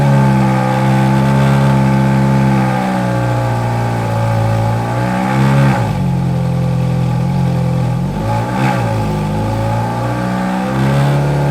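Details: V8 supercar on winter lay-up, warmed up about 8–9 minutes at varied revs until temperatures normal: smooth engine rising and falling cleanly through blips and holds, no misfire or rattle; healthy revving.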